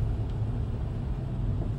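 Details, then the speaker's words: 2007 Toyota Tacoma 2WD, 167,000 miles, automatic transmission, driving uphill from a stop after repair of a shudder, vibration and grinding under load (a needle bearing was found): smooth, even low rumble with no shudder, clunk or grinding. Fixed. "I'll be quiet listen yep it's fixed there's nothing happening here"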